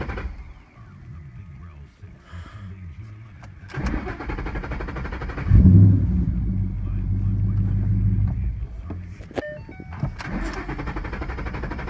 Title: 2011 mustang GT won't start!